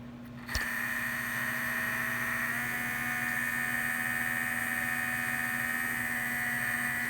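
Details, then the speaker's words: Vintage 1978 Shinsei Fire Fox RC car, steering servo suspected of potentiometer problem: thin steady electric whine with quick pulsing as it changes direction; servo responding but still erratic. "okay now i'm pulsing it that's encouraging it's just changing directions now it's hard to tell because it moves so quickly"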